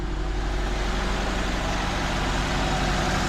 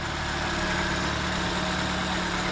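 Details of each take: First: 2004 Nissan Sentra at idle, engine shaking: uneven, lumpy beat of a misfiring cylinder; no misfire codes, only an air-fuel ratio sensor code (127), and unplugging coils one at a time pointed to one cylinder. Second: 2004 Nissan Sentra after the fuel injector that caused the misfire was replaced. Earlier coil and spark plug replacement had not cured it. Smooth, even low rumble with no stumble or shake. Normal idle.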